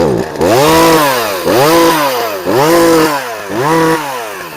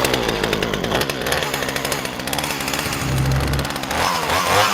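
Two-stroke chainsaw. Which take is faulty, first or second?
second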